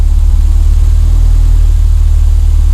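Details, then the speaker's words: Renault 5 GT Turbo, unused all year, was running rich after mice chewed its fuel and boost lines. After repair it starts first time and settles into a deep, smooth, even idle with no stumble or hunting, and the fuel ratio is good. "so it starts first time now is the right flipping pain it was to start it's all choking up and everything takes over that nice"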